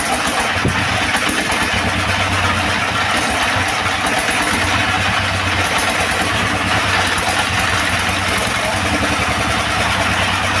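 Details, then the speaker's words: Second-hand S1115 single-cylinder diesel that would not start (found partly opened by the owner), serviced until it ran; now a steady, even idle thump with no misfires or knocks. No remaining problems, and the oil indicator rises well. "Oke sobat diesel setelah kita coba hidupkan dan kita dengar tadi hasilnya sepertinya tidak ada kendala lagi ya pada mesin diesel ini"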